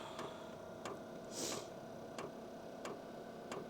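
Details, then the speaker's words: Normal rhythmic ticking of the dosing fuel pump priming on a new HCALORY Tool Box Compact 2s diesel heater during its first-ever run, with no fuel in it before. It is preheating, and a hot-glow-plug/fuel-pump icon is showing. "You can hear that ticking? That's the fuel pump, and it gives me an icon that the glow plug is hot, that the fuel pump is going."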